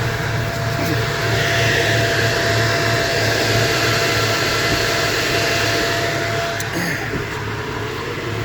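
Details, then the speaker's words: Ford FG Falcon transmission oil heat exchanger cooling fan wired to A/C relay, A/C switched back on: fan starts straight away, steady whooshing whir with faint constant tone; runs normally. "Air conditioning on. I'll just wait. There it goes straight away. You can hear it whizzing around now. So, as you can hear it down there whizzing away."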